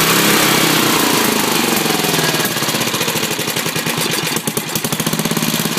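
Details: Briggs 10hp single-cylinder, governor linkage reconnected and working: with choke off it runs fast and uneven, staying high instead of settling to idle; carburetor suspected worn or badly out of adjustment, not governor.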